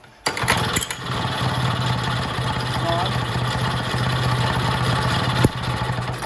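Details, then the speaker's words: Vintage Jacobsen two-stroke reel greens mower, choke/run/kill control working, temporary tank with fuel shutoff and filter, no throttle cable yet; catches and settles into steady even run, no stumbling; runs right. "That all works just like it's supposed to. So I got that all to work good. Runs good."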